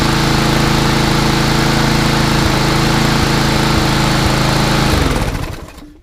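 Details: Craftsman 247.374410 mower with a Briggs EX engine that previously wouldn't start: even, brisk single-cylinder buzz at steady speed, then a clean wind-down at shutoff; runs properly.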